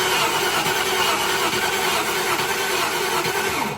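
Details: 1995 Range Rover Classic, 4.2 V8 long wheelbase, won't start despite confirmed fuel pressure, a new fuel filter and carb cleaner in the intake. The starter cranks evenly but the engine never fires; a spark gap tester set to about 2 mm shows no spark. The coil is replaced next.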